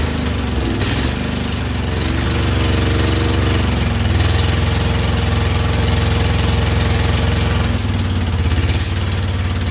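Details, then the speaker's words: Husqvarna YTH2148 lawn tractor, Briggs & Stratton Vanguard V-twin, first runs after carburetor work: lumpy, uneven idle, stumbling beat, on and off one cylinder; one exhaust pipe cool, the other burning hot; owner says not the plugs. One cylinder not firing. "this side is not going not at least not consistently I could basic I can can touch the pipe whereas this side I can't even get near the pipe it's freaking burning hot"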